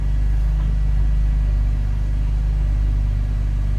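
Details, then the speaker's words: BMW E39 528i petrol engine on first start after replacing dual VANOS seals and anti-rattle kit, still cold: steady low idle rumble with no dips or surges, no dropping idle. "No dropping idle at the moment."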